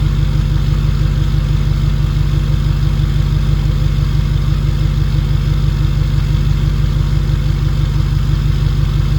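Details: 2011 Ford 6.7 Powerstroke diesel with 5-inch exhaust, first start after 6 months winter storage: deep even idle throbbing about three beats a second, steady and regular; healthy.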